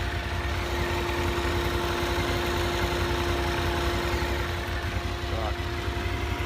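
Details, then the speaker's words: Honda VFR 750 after clutch basket repair (clutch-side knock that worsened when hot): warm idle at 90°C, about 1500 rpm, radiator fan running; a steady hum with camshaft and maybe spring noise only, no knock; normal. "полторы слушаем Как работает слышно как-то катят распредвалы и может быть немножко пружины"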